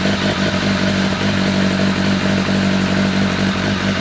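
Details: Honda CBR1100XX Blackbird four-cylinder with a replacement engine, first run on a good battery: fast, smooth idle with a steady hum and even firing. Light smoke, which the owner thinks is grease. Normal idle.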